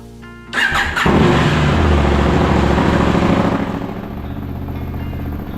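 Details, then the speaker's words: KTM 790 Adventure R after winter maintenance, fuel pump fixes, new intake and Power Commander 6, on a cold start before warm-up. Catches on the first crank, blips up, then settles into a steady, even idle. Normal start and warm-up idle. "Power Commander new intake, it sounds good."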